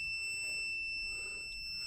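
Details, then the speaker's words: 2015 Nissan Juke in limp mode with cluster warning lights all on; steady piercing electronic beeping starting once scan tool is plugged in, over a quiet cabin; dashboard warning chime. "see here if you can hear that loud beeping guys once I plug the scan tools the dung girl it start make that noise guys"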